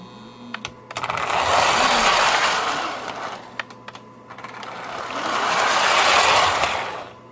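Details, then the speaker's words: 1949 Lionel 2026 steam engine motor after reassembly, circling the track with wheels off: small motor whirs steadily with a mild mains hum, loudness rising and falling as it circles; motor runs great, normal. "It's obviously not going to go too good with the wheels off. But as far as the motor's running great."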